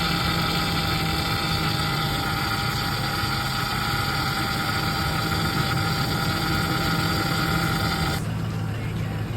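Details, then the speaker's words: Ford F-150 Triton 5.4 FX4 idling after topping up power steering fluid (owner suspected low fluid caused the noise): steady even engine hum with no pump whine or groan; steering now quiet and normal. "Silenciosa agora. Sem nenhum barulho."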